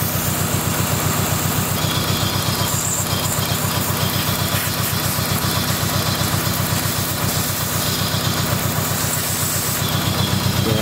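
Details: Dodge SRT4 petrol engine at idle: loud airy hiss over the pulsing exhaust from a large vacuum leak at the intake manifold gasket, causing long-running misfires; gasket replaced.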